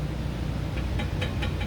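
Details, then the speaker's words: EcoBoost Ford Transit transmission install, before tightening the bell housing bolts: quick light metallic taps over a low hum, the converter bolts slapping freely, showing plenty of torque converter play so the pump won't be damaged. "You hear that sound? That's the bolts slapping against the torque converter, so I know that there's plenty of play and we're not hurting."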